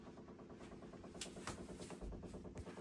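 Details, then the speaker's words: Delta shower valve's failing pressure-balance cartridge: fast, steady pulsing drone rattles through the bathroom supply pipes like a small motor running; shutting any of three valves feeding the shower valve and toilet stops it; replacing the cartridge fixed it. "Sounds like a motor running. It's in those pipes."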